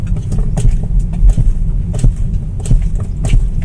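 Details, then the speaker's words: BMW X1 driving with a front suspension complaint: light dull clunks ("tuk-tuk") under gentle brake taps over road rumble, seeming to come from play at the front left wheel. Control arm bushings suspected. Control arm bushing knock when braking. "Mas na hora que eu dou uma cutucadinha no freio, a gente percebe que ela bate, tá? Ela faz um tuk-tuk, né? Então vamos lá de novo aqui, ó. Tá bem nítido, tá, pessoal? Então, a impressão que eu tenho é que são as buchas de bandeja."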